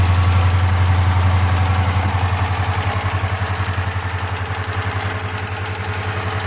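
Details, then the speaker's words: Dodge Charger HEMI at idle, not revved: deep heavy knock about 3.5 beats a second, steady with idle, from the bottom end; rod knock, not an MDS solenoid issue, oil pan to be removed. "so you don't have a throttle cable when you rev this thing up you can hear that bottom in not extremely loud"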